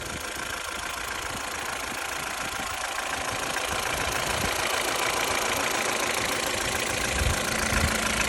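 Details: Ford Fiesta Mk6 Duratec 1.6 Sigma engine at 443,242 km: steady idle with regular knock about three beats per second under busy engine clatter, likely bottom-end (slap/knock) noise.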